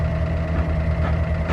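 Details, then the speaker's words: Key-on on a Midnight Express yacht's quad Mercury 400R outboards once power was restored; its batteries were shot and its cables corroded. A steady low buzz with a faint whir is the electric fuel pump priming. "And the fuel pump's trying to prime up."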